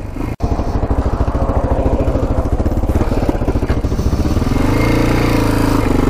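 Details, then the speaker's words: Yamaha XT500 single, revived after sitting over 20 years, fresh oil and cleaned carburetor: uneven thumping with stumbling, missing beats around three a second as it tries to pick up; owner suspects a plugged exhaust pipe or restrictive airbox. "all right so it was kind of sputtering and not running the greatest when i was taking for a ride i think it might be due to the pipe pretty sure the pipe is plugged up"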